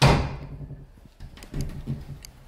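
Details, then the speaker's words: Door closing after bending the strike plate tongue to cut latch clearance: a single solid thud and a few dull knocks, no more rattling. "and there you have it guys there's absolutely no movement in that no more rattling whatsoever nice simple fix"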